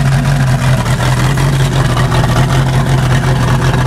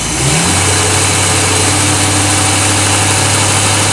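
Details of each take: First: Rough, lumpy idle of a 1988 Crestliner's Chevy 305 V8 with OMC King Cobra drive, first run in years, not yet warmed up, with good oil pressure and heavy steam; uneven beat from low compression on two cylinders. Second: 1988 Crestliner Chevy 305 V8 with OMC King Cobra drive and electronic ignition, despite blow-by on a couple of cylinders; revs up strongly, then settles to a steady even idle, no stumbles or knocks.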